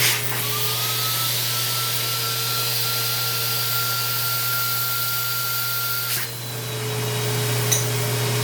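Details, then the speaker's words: Shop vacuum dust collector with 25 ft hose reaching the whole shop, used around grinder and Bridgeport: steady motor roar with high whistle, then brief clatter as debris rattles up the hose; strong, normal suction. "25t hose reaches everywhere in the shop it suck up [Music] anything when I say it'll suck up everything I mean it'll suck up [Music]"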